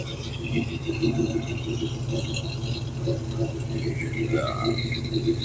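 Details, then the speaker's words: 1987 Oldsmobile Cutlass Supreme 442 at idle on cold-start day, factory-style Walker Quietflow mufflers fitted: even low exhaust rumble with a light rattle, slightly loud from the mufflers; normal exhaust note. "so one of the first things I did was replace it with a more Factory Style Oldsmobile yeah Walker quietflow Mufflers which I still think are a little bit to"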